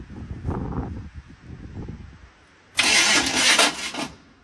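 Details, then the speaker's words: 1973 Chevy small-block 350, just after spark plug replacement and firing-order setting: choppy, loud metal-on-metal cranking (starter engagement suspected), then a brief loud blast as it tries to fire backwards; a kickback, with timing or firing order suspected. "I think it just tried to fire yeah but backwards"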